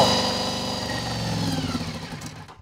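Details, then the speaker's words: Honda VFR400 NC24 V4 motorcycle after carburettor strip, clean and rebuild, during carb balancing on pilot jets: steady idle sags, stumbles unevenly and dies after about 2.5 seconds; stalling, owner suspects it simply ran out of fuel. "she probably just run out of fuel. Yep. Ah, what a pain."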